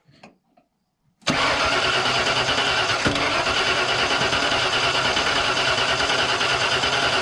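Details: 1992 Ford F150 XLT, 302 V8, E40D automatic: steady cranking with even compression pulses about three a second, never firing. Spark plugs were replaced, and a spark tester between coil and distributor cap shows spark at the coil. Cranks but no start.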